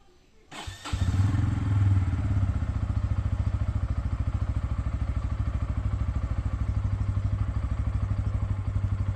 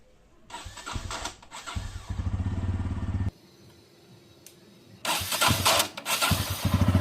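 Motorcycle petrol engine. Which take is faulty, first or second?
second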